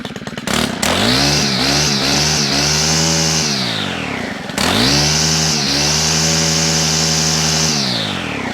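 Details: Job-lot Stihl machine with second-hand gearbox fitted, unstarted 2–3 days, couple of primes, no choke, first pull: two-stroke revs cleanly to a high steady scream and drops back smoothly twice, crisp throttle; perhaps could use a slight top-end tune. Normal running.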